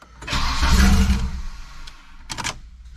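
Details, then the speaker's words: Wagon with newly fitted GMC Typhoon/Syclone turbocharger, first start after cranking with pump fuse out to prime turbo oil: brief crank, catches straight away and settles to steady idle; easy normal start, no oil leaks. "starting starting really easily though"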